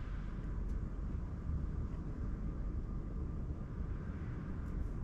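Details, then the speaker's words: Chinese parked diesel heater with a silent fuel pump, on its lowest 1.4 Hz setting with the fan at its lowest, in a cold van: soft low steady fan hum, quieter than the wind outside, no pump ticking like the old pump had; normal quiet running. "wind outside is louder than it. That's fab. I'm a very, very happy bunny with this."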